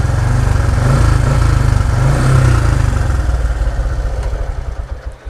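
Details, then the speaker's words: Honda Supra X 125 with manual clutch, stock clutch springs, old MX plates, 1500 g balancer, about one year of use; small single-cylinder steady low thump fading evenly, no knocks or rattles, still smooth; normal idle. "lebih temen-temen buat referensi aja untuk suaranya juga masih halus"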